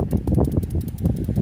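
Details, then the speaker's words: Scion xD PCV valve shaken by hand on removal: quick, loose clicking rattle in uneven bursts, valve moves freely so it is good; normal PCV valve rattle. "it would move like this that means the valve is very good the newer one will move a little bit more freely"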